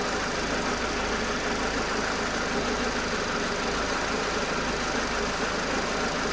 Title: tujp4 nfu bruit moteur rare?